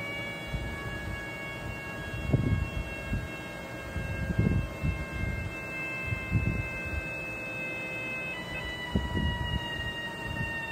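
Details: Steady thin high whistle over a low hum with occasional rumbles, like air being sucked in; vacuum leak suspected, not confirmed.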